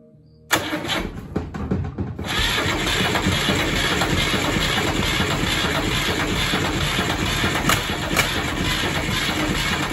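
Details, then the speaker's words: Deutz F2L511 two-cylinder air-cooled diesel out of a forklift, sitting about 5 years; starter churns it over in uneven bursts but it never catches, no exhaust smoke so no fuel, owner suspects the throttle or governor. "just cranking over a few times we got all these seeds so we're getting no smoke out of the exhaust so that means we're not getting fuel"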